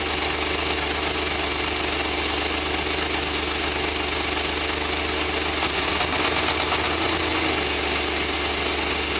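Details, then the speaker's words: Engine viewed through the doghouse, idling in driveway after transmission fluid poured into the carburettor/intake, smoking, radiator cap off: rough running with irregular tapping knock, two to three per second; same with gas, worse on road; owner suspects fuel injectors or spark plugs. "I don't know. You hear how it's running. I can give it some gas and it'll run the same, just higher RPM."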